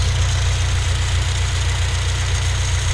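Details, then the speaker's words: 2011 8th-gen Honda Civic Si after crank pulley replacement: smooth even idle with steady low thrum, no knocking or wobble; far quieter than before, when old pulley caused humming noise; issue fixed. "Everything sounded a lot more quieter. So that thing was definitely making the whole ride and engine and everything humming and all types of noise."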